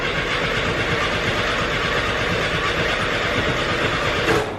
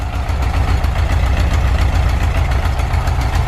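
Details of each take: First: 1973 VW Bus after alternator replacement (jump box hooked up backwards), dash fuel pump switch on, some gas; rapid cranking about four seconds, no firing, no pump buzz; fuel pump wire found disconnected. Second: 1973 VW Bus, air-cooled, just restarted after a fix to the coil and fuel pump switch: a loud, low, steady thrum with even rhythm and no misses; normal idle.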